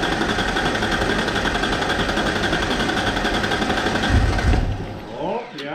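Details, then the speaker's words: 1994 Mazda B3000 with swapped 4.0 OHV, fresh fuel replacing water-contaminated fuel: uneven stumbling beat surging and sagging, possibly still clearing water from injectors; owner also notes a vacuum leak. "What did I tell you? She's got to clear it out. Got a vacuum leak."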